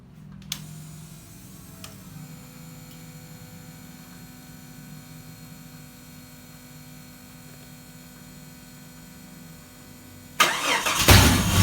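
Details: Jeep XJ engine starting and idling without belt squeal after a new pulley and belt were fitted; quiet hum and a couple of clicks, then it cranks and catches; the earlier squeak is gone.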